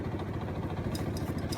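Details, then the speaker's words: Outdoor central air conditioner unit running constantly, making a loud low rumbling throb with an uneven chopping pulse like helicopter rotor blades; cause not identified. "hey guys uh guys uh this air conditioner is making a helicopter noise all the time"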